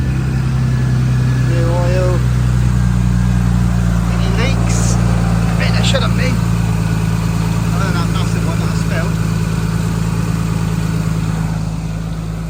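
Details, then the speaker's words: R33 Skyline, fully forged engine past 2000 miles, decat exhaust, cold start after fresh fully synthetic oil change: steady, deep, even idle with loud smooth exhaust burble, no knocks or ticks; normal cold start idle. "this is a cold start basically not massively loud you can't hear it properly on video because I've not got a fancy microphone or anything but it's pretty loud anyway"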